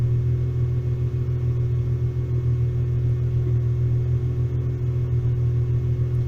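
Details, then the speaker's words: VW T3/T25 Vanagon with Subaru H6 3.0 swap, hot restart: low, even, steady idle with no misses or hunting; starts hot and idles as it should. "So starts when hot. And the idle's doing what it's supposed to do. So, all as it should be."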